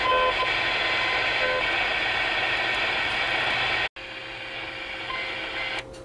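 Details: CB radio on AM channels 15–20 in central Iowa: wavering hiss with warbling tones hopping across channels, then a dropout and faint steady whistle before vanishing; cause unconfirmed. Unexplained radio interference.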